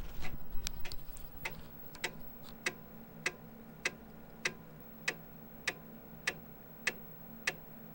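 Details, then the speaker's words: Commodore Amiga 1000 floppy drive, 35+ years old, after cleaning head with alcohol and oiling moving parts, booting Kickstart 1.3: crisp evenly spaced head-step ticks about every 0.6 s over quiet spindle; seeking and reading normally. "So that sounded really good."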